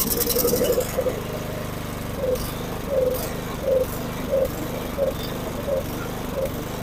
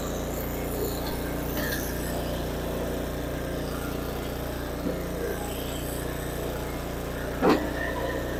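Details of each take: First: Snow blower small engine surges and sags about every two-thirds of a second instead of holding speed; it gets some fuel but not enough, running lean from carburettor fuel starvation before the carburettor is cleaned. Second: Snow blower small single-cylinder engine after fuel line replacement and carburettor cleaning, started on choke after priming, holds an even, steady idle with no misses or surging; normal running.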